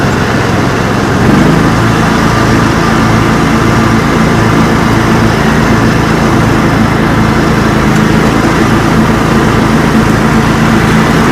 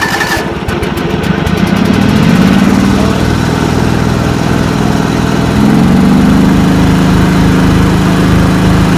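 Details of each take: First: Kawasaki V-twin (FD590V family) on John Deere mower after replacing weak-spark ignition coil, plug caps and NGK BMR6A plugs: steady, even running with smooth regular beat, no stumbles or misses; healthy engine after repair. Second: 1989 John Deere 285 with Kawasaki FD590V V-twin, warmed up, choke up: turns over, stumbles, then runs uneven and surging; fuel found on one plug, ignition coils and plug caps suspected; hard starting from weak ignition.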